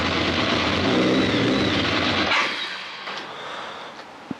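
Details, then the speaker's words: BMW K1200 R motorcycle, all exhaust pipes hot, fuel pressure low at 2.3 bar: lumpy uneven running about two seconds then dies; rough and cutting out, traced to corrupted injection adaptation values fixed by a diagnostic reset. "All the exhaust pipes are hot, so doesn't sound too good."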